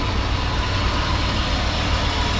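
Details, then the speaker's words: 1994 Chevrolet K1500 Blazer, first start in 18 years after installing a new gas tank and fuel pump: even, steady low rumble with a smooth regular beat and no knocks or misses; healthy idle off the key. "After all these years, that truck fires up off the key."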